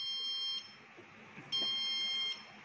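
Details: Petrol pump automation tank console: two long, steady, high-pitched buzzer tones, each under a second, with quiet between, with all three lights on. Low product level alarm, silenced by double-clicking the delivery-required button.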